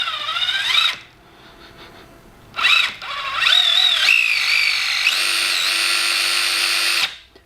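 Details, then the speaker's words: Gmade Komodo GS02 Double Cab RC crawler, drivetrain under load: high, steady whine over the motor, with a burning-plastic smell; earlier banging and clicking traced to the spur and pinion, and the mesh is to be adjusted on the motor mount. "i smell burning plastic well i might need to investigate the spur in the pinion mesh a little bit better um because that's although i expected that it's worse than"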